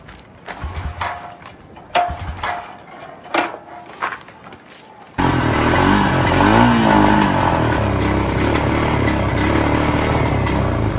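A few clicks and knocks, then the engine catches and settles into a steady, even idle of about four beats a second. It runs fine.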